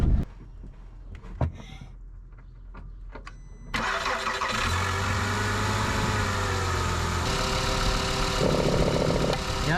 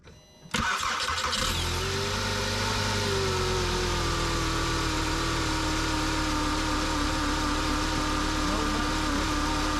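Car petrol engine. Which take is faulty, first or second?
second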